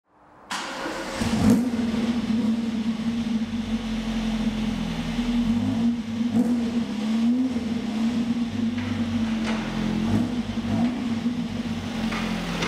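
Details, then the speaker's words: Ford XR2 crossflow engine with Omex individual throttle bodies: crisp deep intake-and-exhaust note swelling with throttle, clean and even, no misfire; more responsive, normal running under acceleration. "makes all the right noises it goes really well and it cruises it's much more responsive I'm happy that it sounds like a proper race car now"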